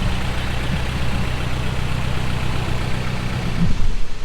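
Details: 1985 Toyota 4Runner 22R four-cylinder, first start after the rebuild, before the timing was corrected: steady, even low idle rumble with no knocks or stumbles, rising slightly near the end. Runs clean.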